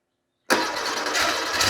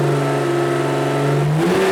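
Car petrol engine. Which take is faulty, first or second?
first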